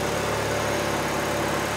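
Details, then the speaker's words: Honda Civic D16 with a new turbo kit, first start on stock plugs: steady, slightly lumpy idle with a deep even rumble and no misses; it's running very rich, and fuel was then taken out of the tune. "it's very richer than moment let me see if it needs to clear out it's very rich"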